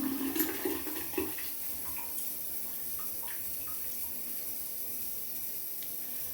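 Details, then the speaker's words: Refilling a drained hydronic boiler heating system after replacing the water feeder, backflow preventer and isolation valve: soft continuous trickle with early gurgles as water runs from the open relief valve, pushing air out; boiler power off, zones off. "crack open the water and fill up the system slowly and then I'm also going to leave the relief open just to start pushing the air out"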